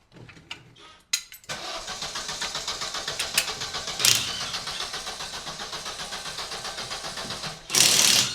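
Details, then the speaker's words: Astra being stripped, out of gear, foot on brake: starter cranks evenly at about four turns a second for six seconds but the engine never catches; crank no start though it has fuel, cause unknown. "What's going on? What do you mean, what's going on, bruv? It's obviously not starting, is it? Try again."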